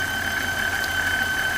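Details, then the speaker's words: 2001 Chevrolet Impala 3800 at idle after an intake manifold install: a sharp, constant high-pitched screech from the serpentine belt area, like a failing bearing. Owner suspects the alternator, water pump or power steering, likely not internal. "I don't know if you can hear the screeching sound it's making but there's definitely something going on with the serpentine Bell area so alternator maybe the water"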